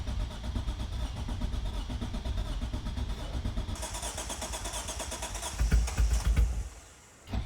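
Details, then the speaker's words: Mitsubishi 3000GT VR4, freshly installed engine started after rescue from storage: rough, rapid puffing and ticking chuff from the exhaust, loudest on a blip; a massive exhaust leak at mismatched joints. "It's actually running. It sounds horrible. There's definitely a massive exhaust leak."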